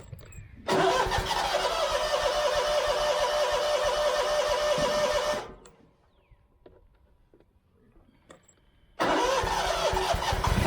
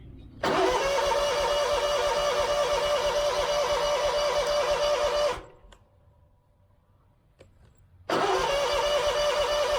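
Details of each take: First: Scag mower with Kawasaki FX691V after carburetor replacement and refueling: fires instantly, clean steady drone without the earlier popping or backfiring, restarts smoothly; running normally, empty tank believed the problem. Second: Scag mower with Kawasaki FX691V after carburetor replacement, about 12 years old: starter cranks about five seconds, pause, more cranking, never catches; no-start because tank was out of gas despite gauge reading.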